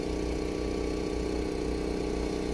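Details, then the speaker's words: 2014 Toyota Corolla after repair now idles smoothly and evenly; before the fix it misfired with codes P0171 and P0301–P0304, caused by a broken intake manifold air leak, and the codes were cleared. "एक बार देख late हूं इसको फिर करता हूं आप देख सकते हैं बिल्कुल बराबर हो गई है"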